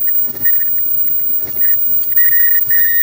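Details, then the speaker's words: Front-load dryer running: high-pitched squeal chirping about three times a second, then steadier; located at the front, worn drum sliders blamed for sure and to be replaced. "I'm going to say it's the sliders. For sure."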